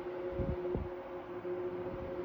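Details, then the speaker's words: 1973 Frigid (Mitsubishi) 16-inch GT16-S oscillating fan, medium speed: steady hum with dull irregular clunks; rotor rattle, cause unknown, similar fans' rattle goes away once warmed up; about 980 ft/min. "Little bit of a rotor rattle sound on the medium speed. [Music] I have some fans that do that. They make that same sound. It's kind of a clunky rattle sound until the fan warms up."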